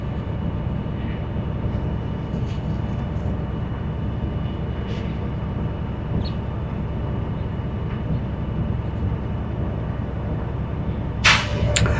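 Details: School bus diesel at high idle during the brake check: a steady rumble with an even pump beat, then a sharp hiss of air at the end. Normal air build-up, reaching governor cutoff around 120–140 psi.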